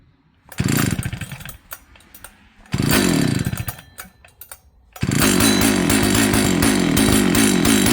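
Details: Old Jonsered 930 chainsaw project, restarted with covers on and bar oil added: two short pulls catch and fade, then it fires and holds a steady buzzing high idle, running cleanly and evenly.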